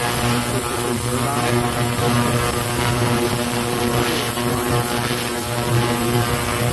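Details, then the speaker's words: Heated parts cleaner set to about 15 minutes, cleaning a dirty carburetor from a Craftsman mower in Simple Green and hot water; constant buzzing hum with a steady hiss; normal operation. "Turn it on. It turns on. You set it to your timer. I have it set for about 15 minutes."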